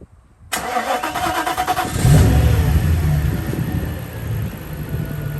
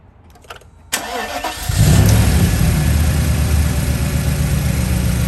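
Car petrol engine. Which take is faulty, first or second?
second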